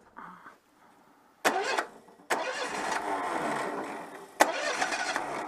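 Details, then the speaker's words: Citroën 2CV, cold engine, owner suspects failed electronic ignition: repeated cranking bursts, then a rough, uneven catch that won't settle; hard starting when cold. "attend peut-être avec un peu de starter parce que le moteur est froid"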